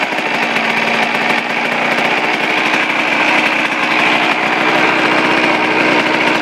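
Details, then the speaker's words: Suzuki RM125 two-stroke, first start from cold after complete engine rebuild, carb at factory stock settings (air screw 1.5 turns out): crisp raspy buzz holding a steady, slightly high idle without misses or rattles; normal idle. "perfect it's perfect um yeah that's pretty good um i don't need just to do a little bit it's a little bit high but that's good enough for me"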